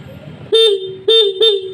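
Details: Yamaha Xeon scooter in for frequent stalling and hard starting, horn checked after wiring to battery positive: three short, loud honks at a clear, steady mid pitch; normal horn.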